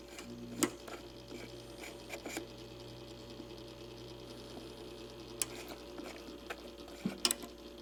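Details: Simplex Time Recorder synchronized clock, repaired (school clock) and run dirty, still working: quiet steady motor hum under soft scattered clicks; running normally.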